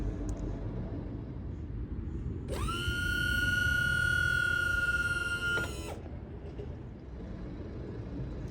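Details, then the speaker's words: Malibu boat (2015–2019) electric-over-hydraulic surf gate rams returning to stowed at end of service mode; clean, steady motor whine for about three seconds then stops, gates moving smoothly — normal surf gate actuator operation. "So we're going to go ahead and end this. What that's going to do is going to bring the surf gates back to the stowed position,"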